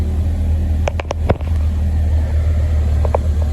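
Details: 2010 Chevy Equinox just after starter replacement with battery reconnected: steady low even idle rumble with a few brief clicks early on; runs smooth and settled, sounds healthy.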